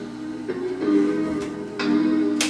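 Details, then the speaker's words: Sony SL-HF1000 Betamax, in for no video, with tape path and ACE head azimuth disturbed, during play of a Sony demo tape after audio head adjustment: music pitch wows heavily. "if i go into play you'll hear the music just wowing big time"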